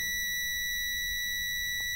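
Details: Car rear parking sensor gives a continuous high-pitched beep with no obstacle behind, on the right side after a week of use; one sensor faulty, beep stops when its connector is unplugged.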